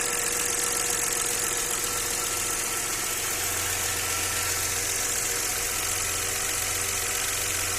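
Idling V6 with a light, somewhat uneven knock about two or three per second under a hissy background; knock at idle, source unknown.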